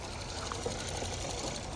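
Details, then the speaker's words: 2022 Kia K5, 29,000 miles, direct fuel injection engine at idle: quiet idle with light quick even top-end ticking; normal direct-injection tapping, motor sounds good, scanner shows no engine faults. "this is a direct fuel injection motor so the same noise that that um Ford Taurus was making is the same noise this one's making that tapping in the top is because it's direct fuel injected just for anybody that doesn't know but the motor sounds good"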